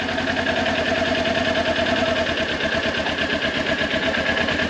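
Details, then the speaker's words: Motorcycle clutch slowly released into the friction zone with no throttle: even engine hum with a steady mid-pitched whine as the clutch takes up; normal engagement. "riction Zone listen see if you can hear it all right one more time and friction you hear that it's like a whining noise one more time that's normal that's our friction is on"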